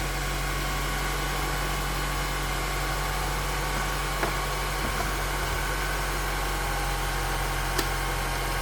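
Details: 1998–2002 Honda Accord at idle after head gasket replacement and a check of the head for warping: smooth, even idle with a steady low drone and no knocks, ticks or misses. The engine is running healthy.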